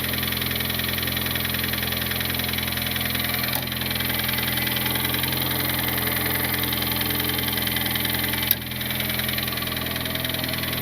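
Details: Turbo Honda Civic R18 engine believed blown, running at idle: even idle with regular knock about two to three per second; internal knock, source still unknown.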